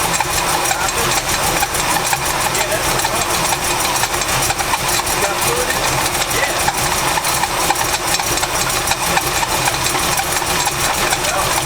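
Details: 1984 Chevy C10 V8 idling with a new power steering belt: harsh hissy chatter pulsing rapidly and evenly. The belt is loose and slipping on the pulley.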